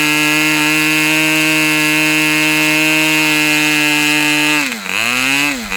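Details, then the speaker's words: Customer's Fox twin-cylinder glow engine on probably its final run of the day, outdoors as it cools off: high, even buzzing drone at steady rpm with crisp firing, clean dips and recovery on throttle; healthy, well-tuned twin. "This was probably one of the most enjoyable engine runs I've done in a long, long time. This thing really, pardon me, but this engine really kicks ass."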